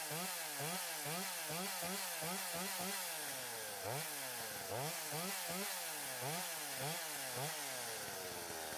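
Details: Stihl 025 chainsaw after oiler repair (new oil pump, worm gear, O-rings, pickup; glued pump holder melted by clutch bell), cutting wood: revs rise and fall in crisp even bursts; running properly, chain getting oil.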